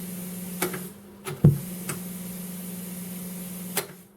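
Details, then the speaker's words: Realistic SCT-34 1980s cassette deck, arrived with a hum in the left channel: steady low hum under sharp control clicks, in a mode before the mechanism fully engages; owner suspects a dirty record-play switch or a capacitor. "we can listen to the hum turn all the way up yeah see it comes out of that that hum seems like a mode that it's in before it like fully engages"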